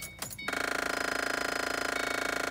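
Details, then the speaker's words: 2005-09 Ford Mustang with the key on; rapid, even clicking about twenty per second for two seconds from the blend door actuator in the dash, caused by a broken internal gear. "That's an actuator. So one of these things has a broken gear, so it's ticking."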